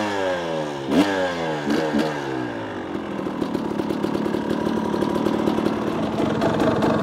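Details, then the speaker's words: 2018 KTM 300 XCW two-stroke fitted with an XTNG carburetor (replacing a 38 with power jet): sharp blips rising and falling cleanly, then a crisp crackling idle settles at once; healthy, responsive carburetion. "Guys, you hear that thing drops right back down to idle, just like I like it."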